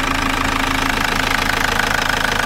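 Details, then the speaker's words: 2004 Toyota Corolla 2.0 D4-D diesel with an OBD light just reset: a fast, light clatter at idle that fades above about 1500 rpm and is quieter when warm; the injectors don't seem to be the source, cause unclear. "entièrement c'est pas un bruit normal je pense surtout que là ell se font pas entendre là commence à devenir [Musique] audible et au-dessus de 1500 tours à peu près on les entend plus"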